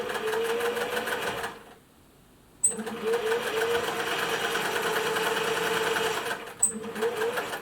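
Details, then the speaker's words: 1950s Singer 401A sewing machine running after base refitted and threaded up, tension release needing adjustment and bobbin tension probably a bit tight: quick, even needle chatter with smooth motor hum, no grinding or knocking; runs okay, not the smoothest. "uh it sounds okay wouldn't say it's the smoothest machine i've ever heard"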